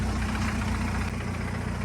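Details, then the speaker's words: Mazdaspeed 3 at idle after new clutch and Damond Motorsports motor mounts: loud fast buzzy chatter over a steady idle from stiff mounts passing vibration; owner was told this is normal. "guys listen how loud this rattle is like it is so [ __ ] loud i was told that as normal okay i was freaking out when i heard it"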